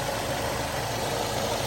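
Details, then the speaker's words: 2005 Nissan X-Trail 250X started after sitting 17–19 months with old gas and a weak 12.3 V battery: steady, even idle hum with no misses, knocks or ticks; running smoothly while warming up. "But look at how smooth that is. It's still running really good, you guys. It's starting to come up to temperature now, so it's running perfect."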